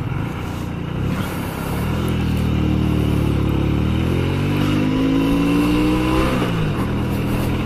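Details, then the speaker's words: Honda Shadow 125, first ride after sitting unused for two years, following the owner's adjustment: the small single pulls cleanly, its pitch rising smoothly with no misses, knocks or rattles. Normal acceleration. "Après c'est une 125, c'est pas un Draxler. Mais pour un moteur qui n'a pas tourné depuis 2 ans, je suis assez content."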